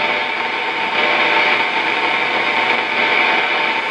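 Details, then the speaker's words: Hallicrafters S53A receiver on the bench with popping, fluctuating signal and microphonics, though its tubes test okay. The WWV station fades to an even rushing static with the signal barely audible. "But see See, WWV is now gone. It's still in there. I can still hear it a little bit."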